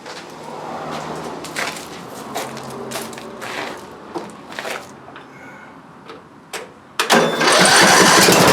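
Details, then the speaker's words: Repaired riding lawn mower after sheared key and near-total parts replacement (belts, charging system, magneto, battery, carburetor), exhaust still leaking: a few pops and knocks, then fires at about seven seconds and holds a loud steady run with no knocking. "that should make him happy so i just wanted to show you what the finished product looked like and sounded like"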